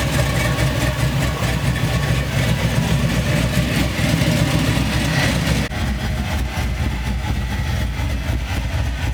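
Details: C10 truck after wiring harness and injector replacement: idle starts fine then after a few seconds chugs unevenly with a stumble and dip; a vacuum leak is upsetting the idle, O2 sensors not reading properly.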